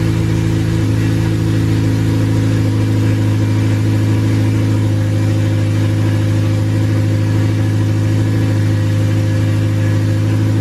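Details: Honda Civic Si with a freshly built K20A engine, new exhaust and modified wiring harness, run with laptop logging data: steady, deep, even note held about ten seconds with no misfire, tick or knock; the engine runs normally.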